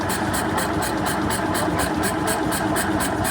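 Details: Isetta single-cylinder engine with confirmed spark, fuel from a makeshift tank, and air: steady starter churning at about two pulses a second with no firing. Owners suspect the points setting. Cranks but will not start.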